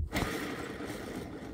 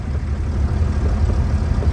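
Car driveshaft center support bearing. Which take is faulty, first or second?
first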